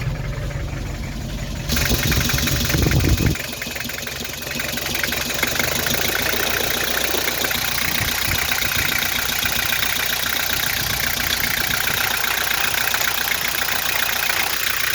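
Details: Nissan TD27 diesel shaking and smoking: clattering idle with uneven, lumpy beat and periodic stumble during injector-pipe cracking test; smoke stops when number four is loosened, pointing to a cylinder four misfire.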